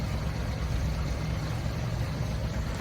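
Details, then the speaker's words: Truck started cold, about 80°F outside, after 24 hours of curing an exhaust leak seal: deep even low rumble with slow lazy pulses, exhaust a little quieter; idle really low when cold but running steadily. "um I think it's a little quieter idle's really low and it's cold"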